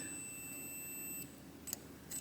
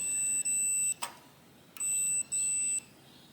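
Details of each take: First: 1966–69 Harley Davidson Shovelhead generator model, ignition circuit breaker: the meter gives a steady beep between earth and the points arm, showing the arm is grounded when it should be insulated, so the points system won't work. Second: 1968 Harley-Davidson generator Shovelhead ignition points checked with multimeter during no-spark diagnosis; clean paired beeps with short pauses as points close, now showing continuity after being reseated, cause unclear.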